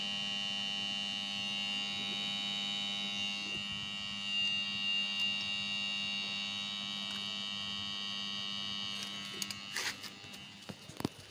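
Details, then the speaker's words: Sharp two-door refrigerator: compressor plugged in gives only a steady low electrical hum, never starting, then a few clicks; original compressor seized, to be replaced with a new compressor. "Kita coba tekan hanya bunyi ya. Jadi bunyinya hanya seperti itu."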